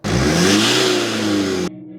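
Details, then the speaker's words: Land Rover Freelander 2 with a blown boost pipe: the engine revs up with a humming whistle that rises alongside it, then cuts off; a turbo boost pipe leak. "You can hear like this humming whistle."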